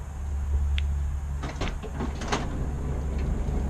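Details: 2005 Honda Odyssey Touring minivan power sliding door running normally after a reset by pulling interior fuse no. 7: low motor hum with a few latch clicks and clunks.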